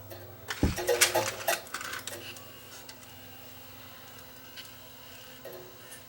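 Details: Tascam DA30mk2 DAT deck that would not accept tape, tested after a new belt and lubrication with the chassis out: crisp clicks and a short whirr as the tape is drawn in, then a quiet steady hum. It now loads properly.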